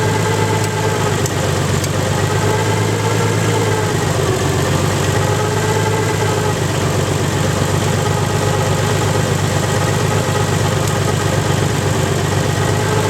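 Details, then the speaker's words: Nissan 300ZX engine, 190,000 miles, hydrolocked through two cylinders, restarted after purging the cylinders and changing the oil, now idling with no load. Steady idle with a light, quick ticking on top and no deep knock: bottom end sounds fine, with the cylinder 5 lifter ticking. "No knocking, just that cylinder 5 lifter ticking. Nice."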